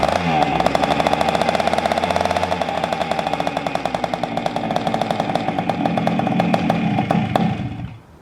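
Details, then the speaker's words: 1976 Honda MR175 Elsinore, first start after engine rebuild, on choke: rough, uneven popping run about four beats a second that sags and cuts out; won't idle, dies off choke. Owners wonder if too little fuel in tank to feed through filter; cause unconfirmed. "This thing just won't idle. And I can't take it off choke either. Or it'll die."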